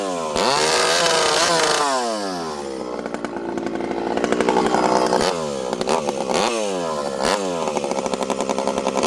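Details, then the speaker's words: 064 chainsaw after new carburetor fitted (low jet previously wouldn't tune), high jet around 1 turn, on 25: screams to high revs, drops and recovers cleanly biting into wood under heavy load, no bogging; healthy. "I'm leaning on her pretty good there. This thing pulls hard and it's fast."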